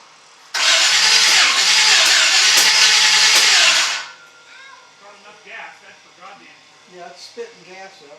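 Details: 1951 Chevy 1-ton flatbed truck with Chevy 350 V8, first start attempt: starter spins engine steadily about three seconds with no firing; owner suspects new distributor, spark fat but intermittent.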